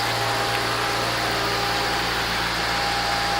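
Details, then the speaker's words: 2013 Maserati Quattroporte, 31K miles, just after start-up. Smooth, even idle with a steady low hum and a faint constant tone, no knocks or misses. Normal idle. "Got a nice sound. Engine runs real nice."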